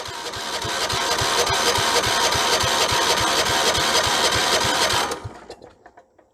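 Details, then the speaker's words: 1976 Vermeer LS200 log splitter, Kohler K301 12hp cast-iron engine, probably with points and condenser, cranked with starting fluid and no choke: even cranking about three and a half turns a second for five seconds, no firing. Cranks but no start, no spark. "good not even a pop okay I guess we start by checking for ignition power then we could easily not have it by my connections here or there or any kind of ignition issue we might have"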